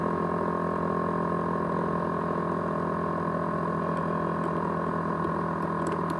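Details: ASUS X543UA laptop 500GB hard drive: loud steady whine with several fixed tones, jet-engine-like, plus rattling reported; abnormal drive whine.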